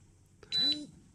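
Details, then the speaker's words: Atom-scan dosimeter (Geiger counter) linked to a smartphone, thresholds set at 25, 30 and 50 µR: the first dose-rate threshold trips with one short high beep and one vibration buzz as a source is brought closer. "От вже спрацював перший поріг спрацьовує одним піском і одна вібрація от"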